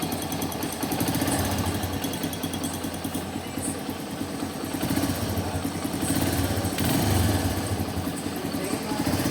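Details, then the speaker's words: TVS Metro Plus single-cylinder bike before repair: quick, uneven metallic metal-on-metal tapping over idle from the top end; worn rocker pins letting the valve train clatter. "মনে হয় যে লোহায় লোহায় একটা ডাং খাচ্ছে এই সাউন্ডটা। এটা এখন আমরা দেখাবো কীভাবে এটা সমাধান করব।"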